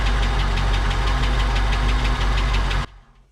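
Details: 1959 Cadillac project car, unstarted for 11 years, first run on a temporary fuel supply running low: rapid, even valvetrain tapping over a heavy, rough idle, then shutoff; noisy lifters or sticking valves suspected.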